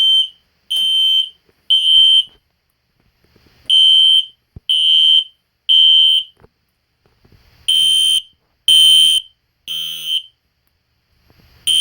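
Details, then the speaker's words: System Sensor Spectralert Classic P121575 horn set to temporal code 3 on high volume: loud, high buzzing blasts in groups of three with a pause between groups; normal temporal-three alarm pattern, very loud. "that was pretty cool but that is very loud but high volume is really loud"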